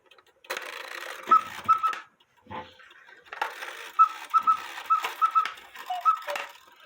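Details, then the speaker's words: Cuckoo clock with count wheel movement: quail chirps once more as the cuckoo starts calling, intermittently, after the quail sequence finished; bellows puffs and whistle calls heard. Cause traced to the wire that lifts the bird's tail. "The quail chirped while I was cuckooing. I'll let you listen to that again. Did you hear it? The quail was done, and then when the cuckoo started cuckooing, it chirped one more time."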